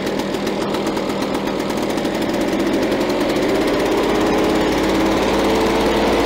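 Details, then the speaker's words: Victa Power Torque VE40 two-stroke mower after replacing carburettor main jet (engine was flooded at first): rapid even beat that settles and firms up as speed rises slightly; runs cleanly. "so after replacing the main jet the engine wall didn't start straight away because the the engine was already flooded so after a couple of uh retry so now if we start the engine should start straight away"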